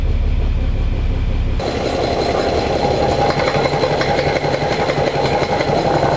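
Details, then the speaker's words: Overhauled 230HP Mercedes diesel boat engine in gear with wood pressed on the output flange for resistance: steady, even chug, earlier gearbox rattle gone; nothing wrong with gearbox or engine. "मुझे बहुत राहत मिली है कि हमारे gearbox में कुछ भी गलत नहीं है, इंजन में कुछ भी गलत नहीं है,"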